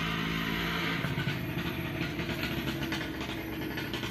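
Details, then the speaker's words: Colt SS engine after teardown for oil and radiator-water consumption, warmed up: steady, smooth low rumble, starts without throttle, oil pressure comes up immediately; normal running. "kemarin sore naik nyala langsung tanpa kendala Alhamdulillah ya tanpa injak gas"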